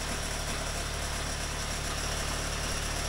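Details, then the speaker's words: Boat's diesel generator after bleeding air from the injector lines, fuel return temporarily into a bottle: initially rough and pulsing in rpm from air in the injector line, then a steady even beat running clean. "It's mainly air in the injector line. As soon as that goes, the engine runs clean."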